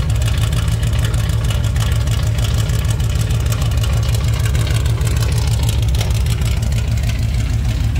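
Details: 1987 Chevrolet K10 squarebody 4x4, first start after blown head gasket replaced, warming up before test drive; deep, steady V8 rumble, even beat, no misses, knocks or ticks. Normal idle.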